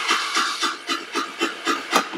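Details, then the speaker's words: Chinese GY6 scooter with no spark, new carburetor, CDI and ignition coil fitted four months earlier: starter whirs in steady pulses about four a second with no firing; cranks but won't start. "let's try again but as you can hear crank but no no start and that's customer complaint confirmed"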